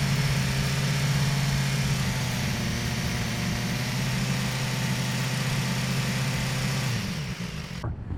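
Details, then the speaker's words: BMW S1000XR hot: inline-four running evenly with light, quick ticking until shutdown; normal valvetrain ticking, reduced after switching oil from Motul to Castrol. "If your bike is ticking 3,000 to 4,000, you're good. That's normal, especially when it's hot. It's fine."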